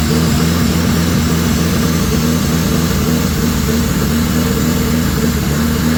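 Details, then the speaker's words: Dodge Daytona Turbo petrol engine running: strong even note with steady low throb, turbo whistle audible, no knocks or misses; engine sounds good. "So, as you can tell, that actually runs really good. You can actually hear the turbo whistling. So, this is a good engine, I think."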